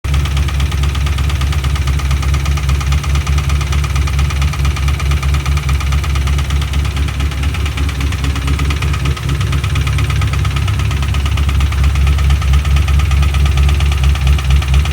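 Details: 2005-09 Mustang GT 4.6 3V V8 idling after new Ford timing kit, phasers, VCTs, lifters, followers, cams and Melling HV pump, no rod play felt: steady, fairly regular knock over deep rumble; owner suspects rod knock or bad phasers.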